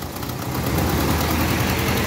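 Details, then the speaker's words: Car with a no-start/stalling complaint traced to a broken spring inside the ignition resistance: engine catches and settles into a steady, even low idle with no misses or knocks before it later shuts off; normal idle. "मैंने सोचा की चले friends तो sir ये Alma share कर दें ये run देखा आपने गाड़ी स्टार्ट हो गई"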